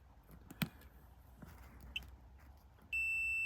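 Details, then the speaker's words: Breakdown call, checking an electrode and its cable back to the board: multimeter on beep setting, probe clicks then a steady high-pitched continuous beep showing good continuity. "so we're going to go to the beep setting so if I put this onto here we can hear it's beeping"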